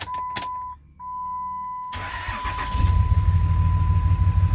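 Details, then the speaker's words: Used 2006 Dodge Ram 2500 4x4 5.9 Cummins, bought with a blown motor: after door chime the diesel settles into a lumpy, uneven idle thump, door visibly shaking; a miss suspected, cause unconfirmed. "okay i hope you guys can hear it i can feel it well actually if you look at the door i don't know if you guys can see that but the door is moving it's kind of shaking here so it's got a little bit of a miss"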